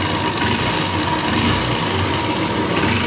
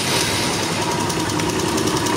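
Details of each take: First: Honda Invicta CB150 single-cylinder after top-end repair of lubrication-failure damage (rocker arms/upper rocker train replaced, cylinder head not fully rebuilt; engine has some wear): steady, even idle with light valvetrain patter, no heavy knocking or clatter; previously loud with vibration. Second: Honda Invicta CB150 motorcycle engine running with a busy, rapid metallic clatter from the top end that rises steadily with speed. Lubrication failure wore the cylinder head parts: worn rockers and scored cam bearings. A slack cam chain was suspected at first.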